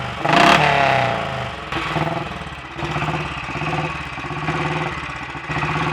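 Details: Royal Enfield Bullet 500 single, ported head, shortened aluminium barrel, 9:1 piston, ignition timing strobe-set: sharp throttle blip flares and falls back cleanly to a lumpy steady thump; crisp response, clean exhaust, healthy.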